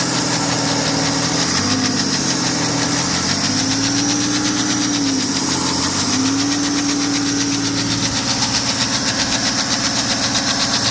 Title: Knocking noise Bmw N57D30 525d f10 cold start